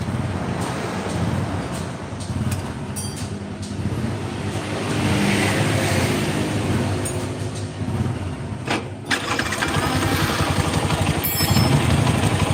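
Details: Bison motorcycle with a rough engine and a "tek tek tek" ticking. Starts and settles into a rough idle with a light, quick tick of about four a second from the top end. Teardown afterward finds dirty oil, red sealant and missing bolts.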